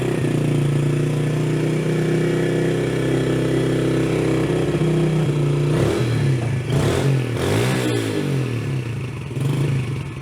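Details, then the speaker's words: Carbureted Yamaha TT-R110 being revived after sitting, freshly cleaned and mounted carb, choke on: small single thumps run uneven and lumpy at the bottom before picking up. It sounds rich; the mixture screw is about to be adjusted. "just a little rich on that bottom i think i need to pull this off let's play with this screw and turn it in then we'll turn our idle back down"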